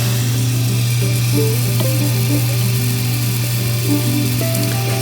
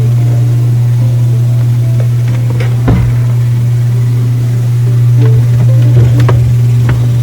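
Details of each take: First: Miele dishwasher with intake/drain light fault, after reset: steady even low hum of water filling, no hammering or chatter, the correct normal fill noise. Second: Miele dishwasher with intake/drain light on, during fill cycle: loud machine-gun-like steady low buzz with irregular rattles; inlet valve suspected not opening fully, chattering back and forth.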